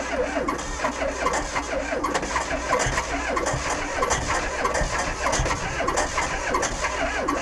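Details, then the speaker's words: VW Sterling kit car engine, 12V engine in a likely 6V transmission with unchanged starter bushing: starter cranks slowly in laboured pulses and never catches; starter drags on windings, not a battery problem, fixed with a self-supporting starter. "um it was turning over too slow I think so I put different batteries in and tried charging it and it wasn't the the it wasn't a battery problem so I found a different starter put another starter in there and now it spins over a little faster"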